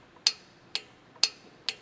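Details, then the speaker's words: Riding/stand-on lawn mower (Kawasaki, Kohler or Briggs engine) with key turned on: four sharp clicks about half a second apart from the fuel solenoid at the carburetor, opening fuel flow normally; key off shuts fuel. "Component-wise, we'll start down here, actually all the way down by the carburetor. There's a solenoid. You hear it make that clicking noise."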